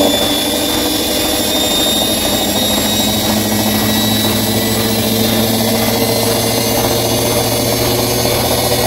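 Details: Bosch Maxx 6 washing machine at high spin: loud steady roar with a high whine, no knocking. Motor bearings already replaced and drum bearings still good, yet the drum stays very noisy at high speed; owner concludes the drum is broken, which is unconfirmed.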